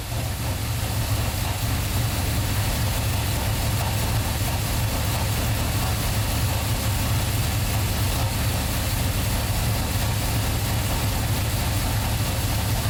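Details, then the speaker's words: 1990 third-gen Camaro, 350 small-block V8, Flowmaster mufflers, Holley Sniper EFI, after welding exhaust leaks, sat two months: idled high then settled into a deep idle. A faint rattle remains, source unknown, possibly underneath. Rattle at idle. "it idled a little high at first but then it settle down you can still kind of hear there's something rattling or I'm not too sure what it is"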